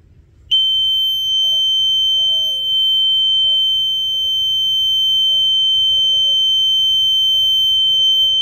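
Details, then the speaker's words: ESP8266 Arduino flame/gas fire alarm prototype with Telegram alerts, flame detector triggered by a smouldering incense stick: loud, steady high-pitched buzzer starts abruptly and holds; alarm working properly and sends a fire-detected message. "Jadi suaranya berisik sekali ya. Jadi dia akan mengirimkan pesan terdeteksi api."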